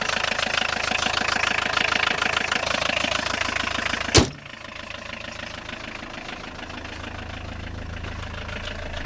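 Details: Long-parked Audi 80 revived from a junkyard, possibly missing an engine mount, clutch with air in it: loud, fast metallic rattle over a clattery idle that suddenly cuts out; sounds like a worn clutch release bearing.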